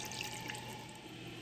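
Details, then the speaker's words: Toilet tank refilling after replacing a deformed flapper with a universal one to fix constant running; refill tube also feeds the bowl: steady even hiss, no gurgle or sputter; fill valve refilling normally. "So as we're filling up here, we want to make sure that the water does not go up too close to the top of this tube. This tube fills there's water coming in here and this is going into the bowl so that after you flush it, it adds water back into the bowl."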